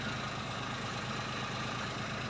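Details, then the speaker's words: 2003/04 Daewoo Matiz (Chevrolet Spark), idling about 20 minutes after a temporary muffler repair with a soda-can patch and JB Weld muffler tape: steady, even idle with no puffing, rasp or leak chatter; sounds far better than before. "come back from washing my hands and already I can hear that this sounds way better than it was sounding before"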